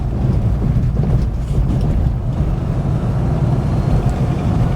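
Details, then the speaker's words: 1974 Rover 3500S V8 driving under load after mechanical work: deep, even V8 rumble pulling steadily with some wind noise, no knocks or leaks; running healthy. "But listen to this. Going seriously well."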